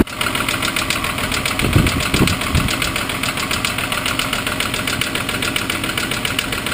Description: my Mk3 Golf VR6 making a bad knocking noise and the oil light is flashing